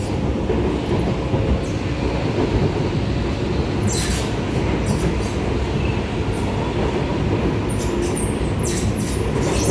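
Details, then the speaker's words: Singapore R151 train (sets 819/820, car 11819 to 13819) from Pasir Ris to Tampines: steady rolling rumble broken by bursts of shrill high screeching in the second half, wheel or brake squeal. "Oh, so annoying, the screeching sound."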